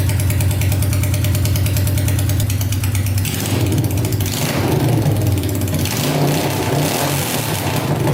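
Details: Honda 500cc engine swapped into a tractor, running after coolant was added to check for leaks, following a wiring repair: loud, deep, steady beat, then a few even revs and settling back with no misfire; fires right up, no leaking.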